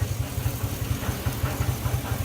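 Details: 2004 GMC Sierra 1500 at idle: steady low, heavy, deep knock about eight times a second; oil pan and bottom end checked fine, catalytic converter suspected, not confirmed; truck sat over a year.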